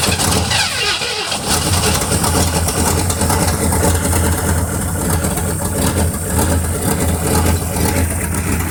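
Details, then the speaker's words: 1957 Chevy Bel Air 283 V8 after rebuild and re-tightening underneath: cranks, catches and settles into an even deep idle with no knocking; a remaining noise is just a loose exhaust manifold. "I went underneath it last night locked everything up like it's supposed to be no more knocking"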